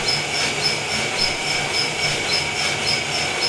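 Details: Felting machine running after adjustments: fast, even rasping chatter with a regular beat about twice a second, no knocking or bouncing unlike before; running normally.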